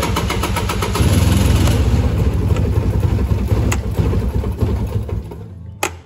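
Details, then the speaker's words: 1998 Polaris Explorer 400 two-stroke ATV, cold: starts and runs with an uneven, lumpy beat, idles around 300 rpm, sags and stalls, also when fully warm; hesitant on throttle. "that's usually what it does even though it's cold now it'll idle like maybe 300 rpm and just stall out even when it's fully warmed up and everything"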